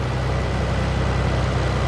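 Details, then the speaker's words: Nissan 300ZX at 134,000 miles, just after an oil change with Motul 10W-40 and OEM filter, on the lift: smooth steady idle, no ticking or knocking; oil pressure present, engine healthy. "No tick, no knock, nothing. Just, she's good. Not bad for 134,000 miles."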